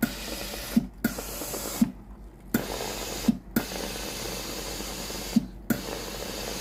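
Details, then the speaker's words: Philips GC9682/80 steam iron, warmed up and ready: pressing the steam button gives hissing spurts of water every few seconds with quiet gaps between pump pulses; soleplate heater stays cold so water drips instead of steam; faulty relay (ALDP124). "เพราะขณะที่เครื่องพร้อมใช้งานแล้วหน้าเตาเย็นนะครับตัวนี้หน้าเตาไม่ร้อนนะที่ออกมาที่ฮีเตอร์หน้าเตานะครับตัวนี้เป็นหยดน้ำนะครับ"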